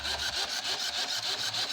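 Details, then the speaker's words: 2014 Nissan Versa with P0705/P0706 transmission range sensor codes: harsh high-pitched rasping chatter about four times a second from the headlight motor while lights go erratic; suspected voltage drop, not confirmed. "how you hear noise [Music] it's coming from the the motor for the lights so this scares me this here is the motor for the the light as there's another noise it sounds like it's a voltage drop that's happening somewhere right with I have all the lights going crazy"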